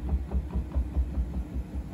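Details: New Bosch washing machine: deep rhythmic thumping, about five beats a second, as the drum speeds up into spin. The owner wonders about bearing damage, but the source is not identified.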